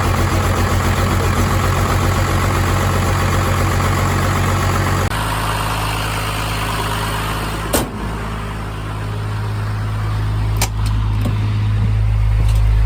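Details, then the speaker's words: Cummins-swapped truck with a new injection pump: steady, even diesel idle with a smooth low rumble and no misses after bleeding air by cracking the three injector lines; normal running. "there we go she cranked she is good"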